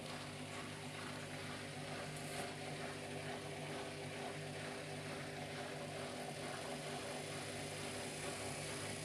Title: WORN BEARINGS HEADACHE!!! Troubleshoot and fit a fully automatic machine making noise when loaded